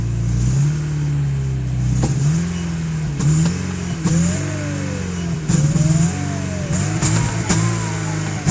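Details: Porsche 944 turbo (951), stock, revving: a thin whistle climbs and falls with each throttle blip; owner suspects something out of balance in the turbo, such as debris buildup or a broken fin, unconfirmed until it is taken apart.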